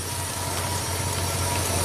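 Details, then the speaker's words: 2003 Chevy Silverado Classic V8 after the repair, no parts required: even, steady idle with smooth low hum, no stumbles, misses or knocks. "fuses in truck should start and run absolutely no problems if I find the key love it satisfaction still no parts required"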